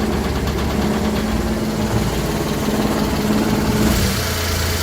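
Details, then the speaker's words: Daihatsu HiJet S83P mini truck, cold, after valve adjustment and timing set to about 11 advanced: uneven, shaky, lumpy idle with some ticking on top; choke not working and awaiting parts, causing rough cold idle. "definitely idols better cause due to floods now alright many let's see if you got a tick oh yeah look at that that's just shaken because the choke doesn't work"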